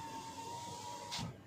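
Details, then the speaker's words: 2023 Toyota Avanza G 1.5 automatic, left passenger power window: short, quiet motor hum while the glass travels, ending in a soft stop with no clicks; this regulator is smooth and fine. "turun naik dia mulus ya yang sebelah kiri itu mulus semuanya itu mulus kecuali yang depan kanan"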